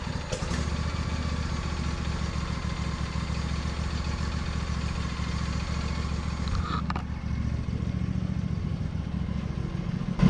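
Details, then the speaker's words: Lawn tractor after winter storage, battery recharged, ethanol-free gas, choke on (choke sticks): low, uneven putter with ragged sputtering beat and smoke, no smooth idle; rough running on choke. "she's been through do your sputtering and smoking over there let's go get that choke off of it"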